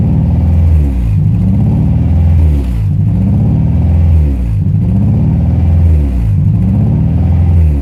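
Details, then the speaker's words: Honda Prelude H22 petrol engine: idle rises and falls about every two seconds and never stops bouncing; the owner concluded it is a vacuum leak at the intake manifold gasket, which he is replacing. "as you can see the idol does not stop bouncing this it is really annoying"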